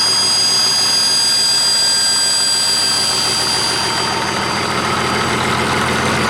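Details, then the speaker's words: 1959 Caterpillar D337F diesel with new filters fitted, resting at idle: loud, steady, even clatter with no misses or knocks, as if it had never been shut down; normal idle. "well damn it's like it was never even shut down now that's impressive"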